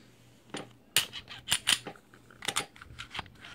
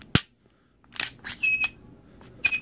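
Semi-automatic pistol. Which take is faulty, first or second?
second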